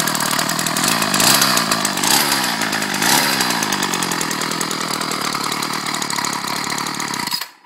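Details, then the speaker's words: Ryobi 790r string trimmer, newly fixed after months: high, buzzy two-stroke revs hold steady for several seconds, then it shuts off cleanly; normal running. "I'm turn it on just I'm good God these things move around a lot but uh it's running good as you can see"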